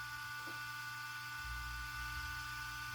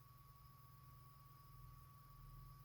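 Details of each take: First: RC car cooling fan on external 6 V NiMH supply, spinning up after start: steady high whir with thin whine, fan running far faster and louder than needed; speed depends on 6 V or 7.4 V setting. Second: Small RC car cooling fan for the speed controller, after the fix, powered for testing: very faint steady high hum with soft airy hiss, no rattle or buzz; much quieter than before and fast enough to cool the controller.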